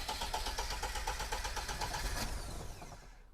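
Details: Lada first start after engine rebuild, starter ground issue fixed earlier: steady cranking about four beats a second for three seconds with no catch; cranks but will not fire.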